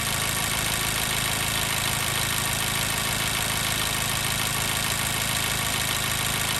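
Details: 2014 Mazda 3 2.0L with P0302 cylinder 2 misfire, warm after about 8 to 9 minutes running: faint uneven stumble about three times a second at idle; the miss shows only when hot.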